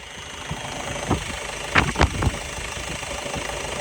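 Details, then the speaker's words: Ford Transit van, 68 plate, about 70-something thousand miles, previously in an accident and repaired: a steady low idle with no knock or tick, only a few handling bumps. It runs and drives beautifully. "you hear it? It runs and drives beautifully. It really genuinely does."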